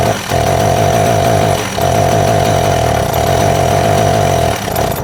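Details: Husqvarna 372XP two-stroke chainsaw with pickup and starting problems, before tuning the carburettor L, H and LA screws: it howls at high revs but sags three times in five seconds. Bogging under throttle; carb mixture suspected.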